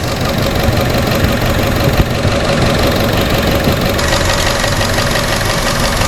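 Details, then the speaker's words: Chevrolet Sonic, P0300 and reduced-power warning: uneven, lumpy idle with irregular exhaust beats; vacuum hose to brake booster being checked for the heard air intake; misfire traced to water pooled in the plug well after engine wash. "esa es la razón de que el motor esté temblando de esta manera y que no responda como debe de ser"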